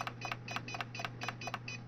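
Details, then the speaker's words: APC Back-UPS XS/RS (BX1500/BX1000) beeps with rapid paired beeps over a low hum but will not turn on when pressed; failed capacitors, fixed by replacing them. "this is another symptom you go and turn it on and it beeps and nothing will happen you can press this a million times and maybe it'll turn on"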